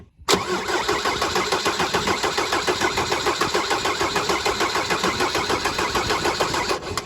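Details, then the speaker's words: Mercedes 190D W201 diesel after stainless fuel line replacement, cold April weather: steady cranking with no catch while an injector line is cracked to bleed air and prime the fuel system until fuel appears. "Oh, there she goes. What that'll do is just get rid of any air in the system and prime the fuel system ready for cold start operation."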